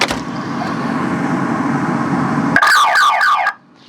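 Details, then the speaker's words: High-mileage GMC Envoy with a recharged dead battery, no crank, just clicking: after the siren is reconnected it chirps in rising warbling sweeps, confirming the aftermarket alarm, with no key fob, is blocking the start. "And I believe that clicking is the alarm. It has an aftermarket alarm, but I did not get the key fob for it."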